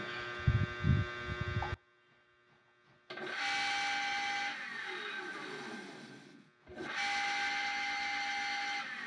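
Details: Circulating water pump from a plant, after a bearing replacement because it had been noisy: it starts twice with a short stop, settling each time into a smooth, even hum with a clean steady tone and no rumble. Normal running.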